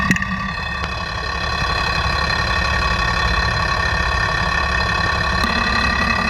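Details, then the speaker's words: FAW truck 260hp diesel after engine overhaul, idling, mic at injection pump, timing already retarded: sharp regular tak-tak knock about four a second over rumble; number one fuel injection pump plunger louder than others, pump opened for repair. "जैसे कि एक piston जो है वो said मार रहा है टक टक टक टक इस तरह से आवाज आ रही है"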